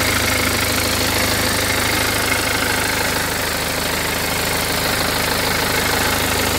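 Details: BMW 320d N47 177 hp diesel at idle: a recent, very slight, fairly regular tick of about three a second, loudest at the lower right of the engine bay; performance is normal with no clunking, and the owner is unsure whether it is normal.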